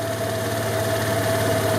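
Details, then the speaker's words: 2003 Vespa ET4/LX150 150cc scooter after carburettor cleaning: steady even idle with low hum and mid tone, settling from cold high idle to normal warm idle. "it's at the high Isle because it's cold once the idle drops down that's the warm idle"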